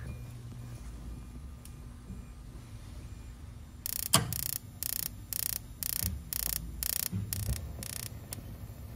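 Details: Crown Aruba AWR070B hydronic boiler after control board replacement: circulator starts, damper vent opens, then after a quiet hum about eleven sharp ticks at roughly two per second as the igniter sparks normally before the burner lights.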